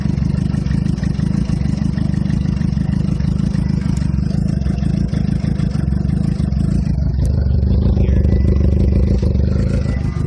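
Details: 2007 Suzuki GSX-R (titled K6), cold start after sitting overnight or hours in the cold: uneven low rumble lifting in pitch near seven seconds, never settling to a steady fast idle; won't hold idle, exhaust smells very rich; intermittent, shop found nothing.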